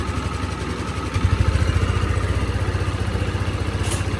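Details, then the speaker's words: Italian Honda SH 150i scooter, rebuilt after overheating from coolant loss: piston and rings, valves, carefully adjusted cam and rocker, injector cleaned. Steady, low idle with a light, fast, even injector tick, no valve clatter. Normal idle. "Rất là im nha anh em, mặc dù giờ này là ban đêm á, ban đêm là nó im lắm á, chứ ban ngày là nó im nữa. Chỉ nghe tiếng bếp phun hả, cam cò mình chỉnh kỹ lắm."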